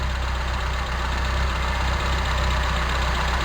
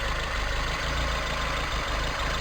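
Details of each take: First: Toyota Tercel 4WD carburetor engine idling low, around 600 rpm, during vacuum-line checks (owner suspects a bad carb, excess vacuum or the primary cut solenoid causing cycling): uneven, slightly loping pulse about four beats a second; rough idle. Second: 1987 Toyota Tercel 4WD carbureted engine at steady, even idle with no hunting or stumble after fixing a vacuum leak near the filter and rerouting vacuum hoses; idle dropped from about 800 to 700 rpm. Normal idle.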